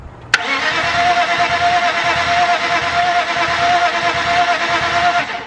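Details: Junker 1998 BMW E36 328is with M52 engine, cranked with the valve cover off to check the valves. Starter spins quickly and evenly with no heavy compression pulses. No compression.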